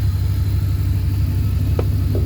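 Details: Abandoned Dodge Dakota R/T 5.9 V8 started on a borrowed battery, with a minor oil leak at the valve cover/manifold. A deep, even idle rumble with a steady beat and no ticking or knocking: runs healthy.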